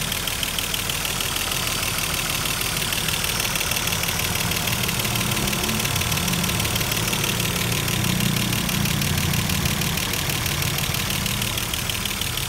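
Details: Mercedes-Benz W124 engine after cylinder head refit, idling a while: quick light ticking slowly softening as hydraulic lifters fill with oil.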